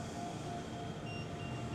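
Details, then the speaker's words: Cobraflex King Cobra commercial DTF printer: short high beeps repeating over a low steady hum, anti-collision emergency stop alarm after the print head was bumped during cleaning, sounding until confirmed and reset. "And as you can hear that beeping is still going off. And as you see on my computer screen, it says anti-colision emergency stop activation."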